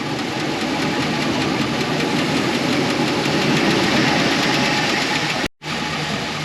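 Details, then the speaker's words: 2004 Chevy Express 4.8 V8, cold idle before reaching operating temperature: fast light ticking clatter about three to four per second; hydraulic lifters tapping, noise gone after about 7–10 minutes warm-up. "de este lado se escucha menos cuando la temperatura esté ya nivel ya no se va a escuchar bien el ruido"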